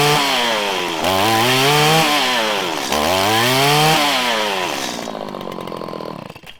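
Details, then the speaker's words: Two-stroke trimmer (weed eater) blipped after low-side mixture screw enriched: first revs climb sluggishly and stumble, then rise faster and cleaner as more fuel added; off-idle hesitation from lean low-speed mixture. "so it went from having an off idle acceleration issue you could hear it i gave it more fuel actually enrichened it and it stuttered and ramped up quicker"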